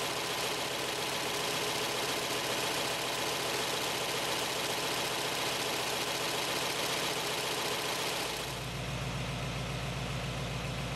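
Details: 1917 Cadillac convertible, original except engine fully rebuilt in the 1960s: ticking over evenly at a slow steady idle, note settling lower near the end, no knocks or misses; healthy.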